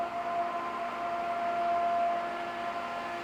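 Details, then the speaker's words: Pentair Clean and Clear pool filter after fixing a cracked lid leak: lid flush, band turned half past seating. Even pump drone with steady mid-pitched tone, no air hissing or sputter, so the lid is sealed; pressure gauge reads quite high, likely why the lid broke. "So right now you would hear the air hissing if it was leaking."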